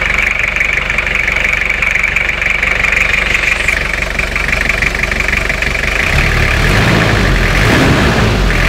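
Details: Toyota 2L-T diesel idling during a blow-by check: steady, even clatter with no misses or knocks over about nine seconds; normal idle, blow-by seems fine.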